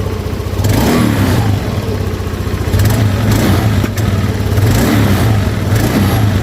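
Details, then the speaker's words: Honda Beat scooter that died suddenly on the road, fuel pump pressure fine at about 40–42, weak compression suspected; after carbon cleaner treatment the single-cylinder engine fires steadily, revving up and down cleanly, running again with slight smoke; piston replacement suggested. "ada ngasap sedikit ya. Nah, yang penting ini motor udah hidup."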